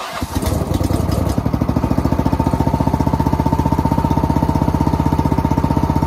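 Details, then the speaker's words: Engine started for the first time in 2 years: catches after a rough crank, then settles into a steady even putter around four beats a second; runs clean and healthy. "That's the first time it's been started in 2 years. First time it's even really turned over in 2 years."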